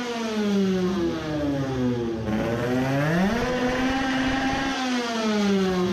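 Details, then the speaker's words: Two-stroke moped race engine on a new race carburetor with smaller 100 main jet, at full throttle high rpm: screams but breaks up and sputters the same as before; carburetor ruled out, spark plug found worn loose; misfire. "right. it doesn't sound good it is sputtering the same way even with a smaller jet it cannot be because of the carburetor anymore"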